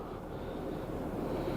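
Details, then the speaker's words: 2004 Acura TL 3.2 V6 petrol idling smoothly and evenly with zero misfire counts, after a P0300 misfire was traced by coil swap to a bad ignition coil and fixed with a new coil. It had idled very rough before. "oh the car either yeah it is good now a while ago it was so rough"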